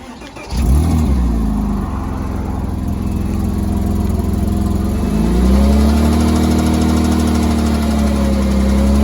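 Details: 3.2L Porsche Boxster engine starts and idles with a dull, uneven knock under the low rumble, persisting through a light rev; after engine removal, metal found through the oil pump.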